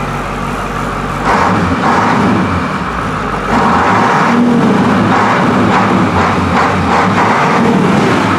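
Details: 1985 International diesel school bus, not yet warmed up, free revs: deep diesel rumble lifting in two steps as the throttle opens, pulling smoothly with no knocks; healthy engine, smoke clearing up.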